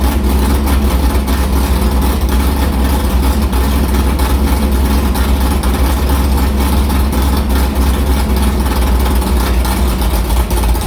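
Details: Carbureted V8 hot rod with Prosystems carb, idle air bleeds changed .070 to .055 after a track carb issue, ~80°F day, fired up quickly; loud, lumpy but even idle around 1150 rpm with no stumble or miss, a normal idle.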